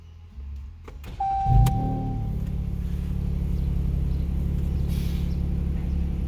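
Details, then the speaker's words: 2015 Jeep Cherokee Latitude with K&N 77-1569ks cold air intake, at startup: starter whirs briefly, then loud, raspy low rumble at idle from a minor exhaust leak. "The car has an exhaust leak, so it sounds pretty bad. It doesn't make it sound like a MagnaFlow if you're thinking about taking your exhaust off. It just makes it sound like car farts."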